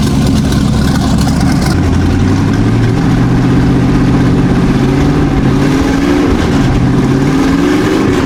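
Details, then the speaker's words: Old V8 boat engine after carburetor cleaned in Pine-Sol and distributor timing adjusted, possibly smoky from cleaning: deep idle picks up cleanly on each throttle blip and settles evenly, no stumble or misfire; normal healthy running. "Wow, this boat is running awesome, man."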